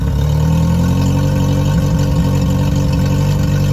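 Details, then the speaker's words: Yamaha F50TLRB 50 hp four-cylinder carburetted four-stroke outboard on flushing water, cold then warmed, throttle opened off idle: hum wavers and stumbles, stumble frequency rising with rpm; owner checked ignition, carburetors suspected. "'ll be starting from a stone cold engine immediately at idle with the engine cold we could hear the stumble is evident"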